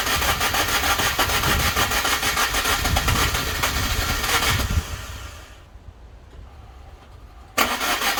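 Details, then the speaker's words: Car after new head gasket fitted, radiator not yet installed, cold day, battery possibly low: fast even cranking about three beats a second, keeps spinning but never fires; cranks, no start, owner suspects something left unplugged. "come on well there's clearly something somewhere that I've neglected to plug back in but I don't know what it is"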